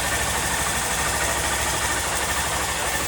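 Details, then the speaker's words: Honda Bros 160 single-cylinder motorcycle after repair of a recurring engine noise, engine and fairing refitted: steady, even idle with a smooth rapid patter, no shaking or knocks. Normal idle. "os podem ver o funcionamento normal dela sem tremedeira e sem barulho no motor"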